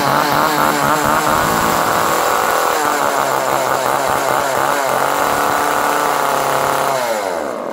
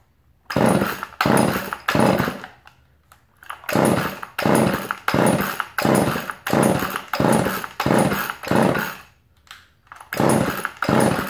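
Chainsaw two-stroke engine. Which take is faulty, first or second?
second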